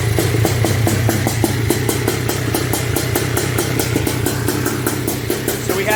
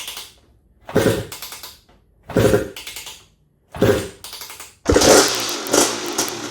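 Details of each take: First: Honda TRX250R with M309R engine, first start, OEM ignition set to zero-degree timing, 38:1 premix: soft, blubbery, uneven two-stroke idle. Running rich and needs carburetor jetting. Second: Honda TRX250R two-stroke on 38:1 premix, first ever start after switching from HPI to OEM ignition at zero-degree timing, kick-started: three short bursts catching briefly, then fires and keeps running with crisp rising rev. Engine starts and runs.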